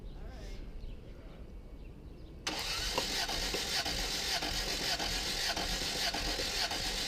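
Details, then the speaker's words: 1989 Toyota Tercel no-start at about 7°C, cranking during a compression test: steady, even starter churn that never catches. Readings are 80, 50 and 75 psi, weak compression. Later readings rose to 110–120 psi, suggesting worn rings. "but at 80 psi not good that one's 50 seventy-five so you've got one good"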